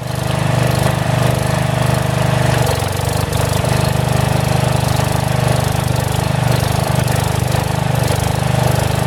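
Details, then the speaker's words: About 35-year-old log splitter refreshed with new pump, valve, filter, rebuilt cylinder and hoses, swapped-in 12HP single-cylinder engine: fast steady thumping that sags and recovers midway; governor hunts a little, owner suspects carburetor adjustment, otherwise runs well. "the only problem right now that the governor hunts a little bit on the engine I don't know if 30 carburetor maybe it needs an adjustment but it runs pretty well"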